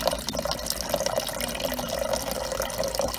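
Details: Whirlpool French door refrigerator GX5FHTXVY010 after replacing the leaking water inlet valve and recutting the hose; steady hiss of running water with light splashing, no hammering or sputter, no leak; normal flow through the new inlet valve.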